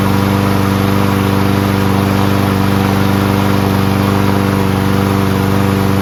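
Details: Toro Recycler Personal Pace mower with Chinese Loncin engine, just started on first pull with choke manually closed after self-propulsion repair: steady, even single-cylinder putter at constant speed, no misses, surges or knocks, and no smoke despite being tipped on its side.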